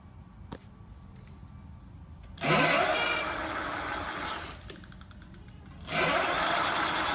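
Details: Electric bike hub motor gives a rising whine and thin squeal under acceleration, especially around 15 mph, heard under heavy wind noise; the bike otherwise works okay.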